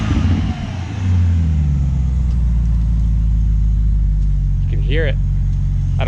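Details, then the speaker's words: 2010 BMW 550i M-Sport, 4.8L naturally aspirated V8, 6-speed manual, custom exhaust, cold start just after an AFE intake install: catches and settles into a fast, steady, deep idle with extra intake rush, running evenly. "Ready? Yep, go ahead, man. And this is a cold start."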